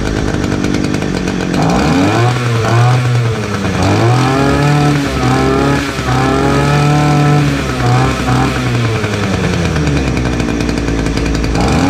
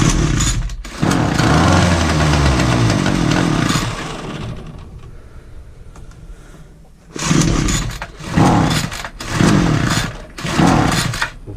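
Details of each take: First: Titan two-stroke petrol multi tool strimmer, started on choke after new fuel lines and new spark plug; clean buzz rising and falling smoothly with throttle, no stumbling, some smoke, runs well, though its tank isn't venting properly. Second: Titan two-stroke multi tool strimmer after carb adjusting screw tweak; starts on choke, buzzes and blips but never reaches full revs; fuel lines look worn, carb to be inspected; fuel starvation from non-venting tank.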